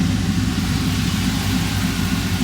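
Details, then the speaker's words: Ram 1500 5.7L Hemi V8 after a 6.4L intake manifold and 6.4 injector swap, with a temporary air intake: loud, deep idle holding steady with a slightly choppy lope, no knocks or ticks; running fine. "But it is in there. Here's what it sounds like chopping away."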